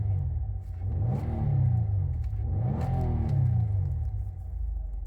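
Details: 2017 Nissan Altima after replacing the transmission oil pan and strainer to cure a whine on start and acceleration: engine rises and falls smoothly through two revs with a clean low drone, no whine; transmission sounds healthy.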